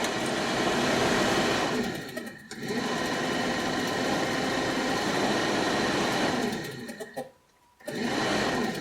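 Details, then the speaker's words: 1967 Chevy C10 Stepside with 250 straight six, barn find with no heat: steady heater blower whir that sags and cuts out twice then spins back up after wiggling a connector; blower speed fluctuating, cause unclear. "look you can hear hear it changing"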